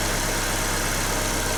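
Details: Nissan Note/Tiida 1.4 CR14DE idling after valve clearance adjustment, exhaust clearances reset from 0.40–0.50 mm to 0.34–0.38 mm with four thicker tappets fitted: smooth even idle, no top-end ticking, healthy engine.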